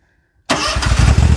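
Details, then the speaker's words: Commercial zero-turn mower started with the parking brake on and handles out: silence, then an immediate catch into a low, even putter; clean, healthy start. "Okay, started right up."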